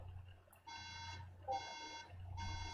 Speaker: right there's our beeps okay fair enough let's turn that off so three beeps is a memory issue or you know it's the symptom of a memory issue the Mac is saying is having difficulty accessing the RAM